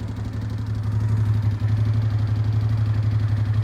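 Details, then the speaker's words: 2005 Honda Deauville NT650V, 75,000 miles, idling with fuel cut off to test fuel pump: pump ticking speeds to maximum, idle pulses erratically and misfires as fuel runs short, confirming pump works; cooling fan then cycles. "now it begin to misfire Yeah. So, yeah, it does what it's supposed to do."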